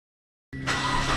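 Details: Proton Inspira (Lancer 08) after new idler pulleys, V-belt and auto belt tensioner: engine settles into a steady, even idle with no squeal, chirp or rattle; belt drive healthy, normal idle.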